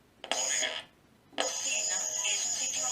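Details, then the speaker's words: Homemade AM receiver (TA7642 and LM386) powered by a power bank instead of batteries: loud hiss with thin steady high whistle coming and going; power bank switching noise swamps reception, some stations inaudible. "se oye bastante ruido. Hay unas emisoras que inclusive no se escucha. Mucho ruido. Es demasiado ruido el que introduce una power band de estas."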